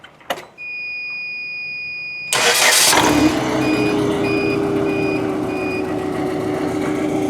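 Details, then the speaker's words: Forklift after replacing a faulty number 3 ignition coil: chime, quick crank and catch, then a smooth, steady idle with no stumble or miss, check engine light cleared; normal running. "check engine light went away. Purrs like a kitten."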